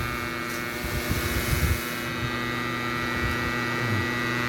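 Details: Bridge SB-3500 DP amplifier under repair: steady low buzzing hum with a thin high whine on top, constant in pitch and level; the amplifier is putting mains hum into the speaker.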